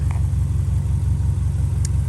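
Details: Subaru five-speed all-wheel-drive wagon fitted with a replacement flat-four after the original seized from low oil: a deep even burble with a steady low pulse and no knocks or ticks, meaning the engine runs smooth and healthy.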